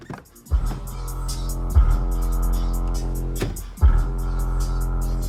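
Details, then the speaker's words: Cheapest pair of Harmony HA-RD12 12-inch subwoofers in a car, in a box with a tiny port: bass notes come out rough and buzzy with a scraping edge on every hit. Both subs are faulty with rubbing voice coils. "hope it picks up on video just how terrible this sounds. This is such a disappointment, guys."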